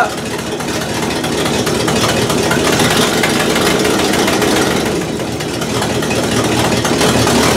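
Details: 1968 Buick LeSabre V8, revived after no oil pressure and leaking head gaskets, valve cover off, warming toward about 190°: even steady idle, no knocks or misses, slight valvetrain chatter from open top end; good oil pressure, gaskets holding, normal idle.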